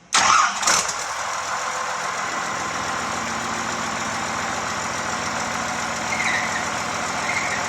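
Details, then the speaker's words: 1986 F350 with swapped 5.9 12-valve Cummins, after opening the injectors and tightening a fuel filter fitting: it cranks, starts and idles with a constant dry whirring from the transmission; throwout bearing noise, clutch not yet disengageable. "all right so it's alive everything runs uh we do have a noise what coming out of the transmission"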